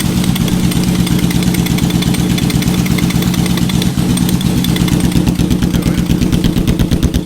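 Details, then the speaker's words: Salvage Yamaha Vmax V4 motorcycle, first start and run: deep, even thumping pulses at a steady idle with no knocks or misses. Owner says it sounds healthy. "it sounds healthy to me"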